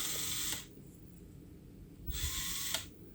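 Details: JCX LR1801 1/18 RC car after fixing gearbox servo adjustment causing excess current draw: two brief crisp servo whirs shifting gears, each stopping cleanly with no lingering buzz; shift servo working properly.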